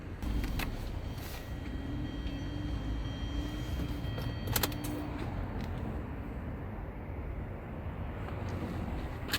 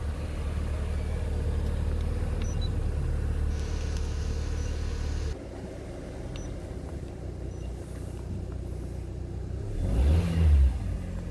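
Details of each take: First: LPG taxi that stalled while driving, started with the air cleaner cover open: drawn-out crank before the engine reluctantly catches and runs rough. Late start because a leaking injector floods the intake manifold and upsets the air-fuel ratio. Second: LPG taxi with a leaking injector, after a late start, fuel rail pressure about 6.6 to 7 bar: low, even idle rumble with no misfire, knock or stumble; runs smoothly. Normal idle.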